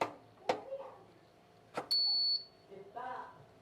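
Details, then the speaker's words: Digital rice cooker (magicom) that lit up but wouldn't heat, after replacing the 12V relay on the PCB, powered on and cancel pressed: one clear high beep about half a second; control board powers up normally, 220V now reaches the heating element. "Oke kedengaran untuk startnya kita tekan cancel duluentarah bunyi ya cemetek seperti itu"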